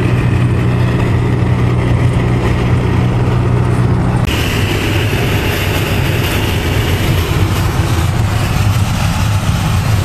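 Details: Winnebago LeSharo (Renault-based van) at highway speed after covering the front window-flange lip with black electrical tape on both sides: steady low road rumble, no whistling or rushing around the windows; wind noise fixed, quiet ride.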